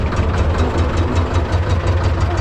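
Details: T-16MG self-propelled chassis tractor, D-21 diesel, after clutch centering and adjustment: gear engaged through the pressed clutch, low, steady chug with even pulses and no driveline rattle. Normal running with clutch engaged.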